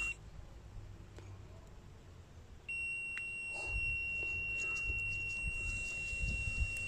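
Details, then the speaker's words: Continuity beep while wiggling the purge-valve wiring on a 2000 Holden Astra Z18XE with P0100 after a new mass air flow sensor: quiet bench noise, then a steady high beep holds without dropping out, so the connection is good. "so right now I have a good contact I will try to wiggle it so if I lose the the beeping sound it means I have a I have an open circuit so right now I'm not losing the Peeping sound guys"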